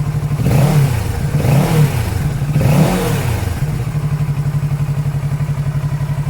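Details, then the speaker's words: 2019 Kawasaki ER6/Z650 parallel twin, an auction bike of unknown history, started after a brief warm-up: three quick throttle blips rise and fall cleanly, then it settles into an even, steady idle; sounds healthy. "so it's all that crud in the sock crime but that's really good news it sounds really good"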